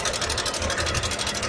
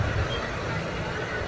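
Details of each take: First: Idling motorcycle engine: fast busy metallic rattle from the top, steady throughout; cam chain tensioner rattle because, with a blocked oil line, oil is not reaching the head. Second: Motorcycle engine after fixing an oil line blocked by diesel put in the oil, cooling pipe refitted: even steady hum with no ticking or rattle, now running smooth; oil change advised at 800 km.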